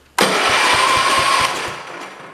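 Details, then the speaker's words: John Deere 112 round fender tractor, K181 engine with new head gasket, first crank without fuel or coil: steady starter whir with even thumps about five a second, blowing out dust; compression sounds good. "It works. And it's got compression, it sounds like. So, it's blowing out dust."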